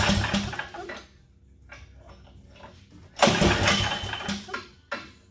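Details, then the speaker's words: Toro snowblower small single-cylinder engine after carburetor cleaning, restarted with choke; catches quickly after a pull and settles into a rough, steady run, starting easily on an easy pull, considered good enough for the winter. "but it starts on an easy pull so i'm not too worried about it"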